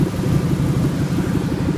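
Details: 1997 Ford F150 4.6L Romeo V8 at idle: uneven wavering, sputtering rough idle; sputters at stop signs without stalling, once failed to start beyond about 300 rpm; cause unknown, owner hopes not the catalytic converters.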